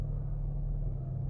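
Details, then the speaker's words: 2006 Dodge Magnum that has stalled for months, just died after a 14-minute freeway drive; warning lights on, idling around 1500 rpm with a low, lumpy, uneven pulsing rumble; throttle does nothing; rough running after stall; owner suspects it only behaves when check-engine light is on. "and it sounds like crap there's running edges you can see about 1500 rpm so I'm gonna give it gas does nothing so"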